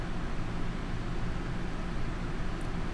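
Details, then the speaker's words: Two rooftop ACs in a 41 ft Grand Design Momentum fifth wheel plus fridge on electric, EcoFlow Delta Pro 3600 W inverter sustaining about 3.2 kW, unit at 82 °F; steady, even low hum, faint hiss, no surging. Normal running, heavy load. "so there we go we got 3.2 kilowatts and it's sustaining about 3.2"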